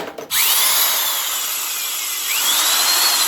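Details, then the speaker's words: Old Proven Special corded drill spinning up with a raspy high whine that wavers and rises; bearings starting to get noisy and dry, needing oil. "That sounds pretty good as is. Sounds like it could use a little bit of oil."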